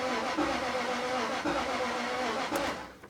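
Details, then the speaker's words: 1999 Jaguar XK 4.0 V8 crank-no-start, starter spinning very easily, cranked at full throttle to build compression: long weak uneven cranking with no catch; low compression from bore wash, which eventually started it. "if not then I will flaw the throttle and keep on going for a bit and hopefully the compression will build up and the engine will start"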